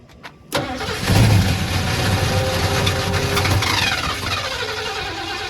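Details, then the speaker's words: 1972 Ford F100 that sat for decades, with a previously locked engine, cranked via a starter trigger: it catches with a rough, uneven rumble that sags and keeps shutting off, because it runs only on the starter with the ignition switched off. "Sounds like it wants to run though. Why does it keep shutting off on us?"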